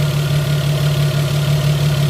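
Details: Opel V6 petrol engine idling smoothly and quietly after repairing the noisy idler pulley (Umlenkrolle): even low hum with no squeal, chirp or rumble from the belt drive.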